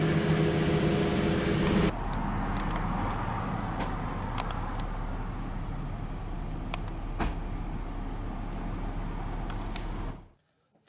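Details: 2012 Nissan Xterra S, 4.0L V6: loud burst as it fires, then drops into a steady, even idle rumble with no knocks or misses; normal start and idle.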